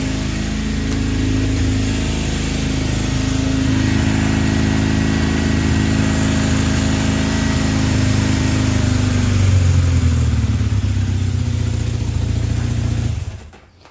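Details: 1978 Kawasaki KZ400B motorcycle after replacing the faulty regulator/rectifier: steady, even low-pitched engine beat, a clean blip of revs near the end, then shutoff; battery now reads 13 volts and charging works, running sounds healthy.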